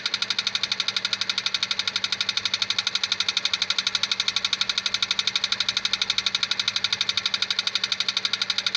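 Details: 2001 Honda Civic 1.7 automatic: sharp, very even high-pitched ticking about three times a second with little rumble beneath; engine knock, cause unknown.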